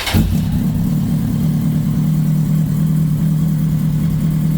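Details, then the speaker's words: Kawasaki ZX10R after engine-out gearbox rebuild, first start, cold start valve working: fires instantly and settles into a smooth even idle with no ticking or knocking; oil pressure immediately, no leaks, healthy. "okay so we got oil pressure straight away which is good sounds good no botling no tapping got no leaks going to let it one up to temperature"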